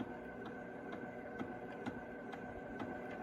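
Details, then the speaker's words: 1978 Fisher Price record player after repair: steady motor hum with a soft regular tick about twice a second; loud for its size but normal motor noise for this player. "so I think this one's fixed you can hear all of the motor noise"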